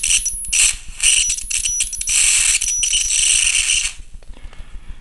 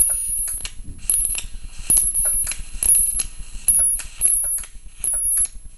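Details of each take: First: Flyback transformer driver circuit after swapping the driver's polarity: loud sizzling hiss of a high-voltage arc in uneven bursts, then dropping away to a faint buzz. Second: MOSFET flyback transformer driver at a lower frequency: buzz under a high whine while the bench power supply clicks and cuts out about once a second, overloaded even with current set to maximum.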